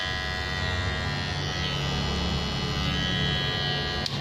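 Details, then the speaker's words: Kemei KM-2600 clipper after fitting a replacement blade set and oiling: hard steady high-pitched buzz with shrill edge, fairly loud; loud shrill sound usually means a poorly matched blade, though it cut sharply in testing. "Oke yuk kita tes suaranya seperti apa biasanya kalau enggak cocok itu suaranya keras suaranya nyaring"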